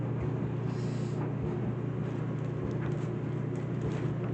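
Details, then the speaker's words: Whirlpool WED9500TW dryer drying a load of colors on the Normal cycle gives a steady low hum with soft, irregular thumps as the load tumbles. This is its ordinary drying noise and the run is normal. "While the dryer, whether if it's loud or quiet, I don't mind the sound as long as it gets the clothes dry."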